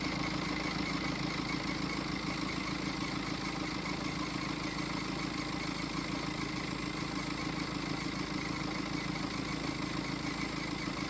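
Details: BMW X5 diesel at idle with a squeal from the belt area that started after a trip to Munich: constant high whistle over the idle; owner suspects a pulley, possibly the tensioner, not confirmed.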